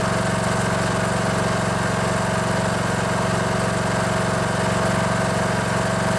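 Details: Poulan Pro riding mower with a Briggs & Stratton Intek 19.5 hp engine that had cranked without starting. After the stuck fuel (anti-backfire) solenoid was freed with spray and heard clicking again, the engine runs with an even, steady single-cylinder thrum at about four beats a second, no misses or knocks.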